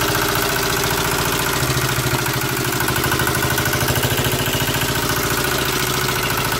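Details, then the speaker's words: Toyota Avanza after driving through floodwater: rough idle with a heavy, rhythmic deep bottom-end knock about three or four per second; a damaged connecting rod, engine needs an overhaul. "Avanza ini ada terdengar suara kasar ya di mesinnya teman-teman Jadi ceritanya mobil ini habis terobos banjir katanya"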